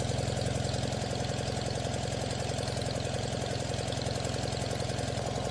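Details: Farmall tractor idling rough with a low, loping, uneven chuffing beat about three a second; owner checks exhaust temperatures with a temp gun: front and rear cylinders about 380, middle two about 280, suspects the middle two aren't running right, not confirmed.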